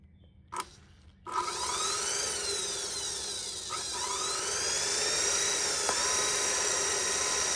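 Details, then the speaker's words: Kearney & Trecker Midget Mill 120 V vertical head, used, with broken porcelain main power switch temporarily rigged: motor spins up to a steady high whir and holds smoothly, no knocking, rattle or grinding; motor running normally. "obviously it's running good. It sounds good. Not super noisy, but because that porcelain down there, or whatever that material is shattered, nothing is really lining up in the little tanks."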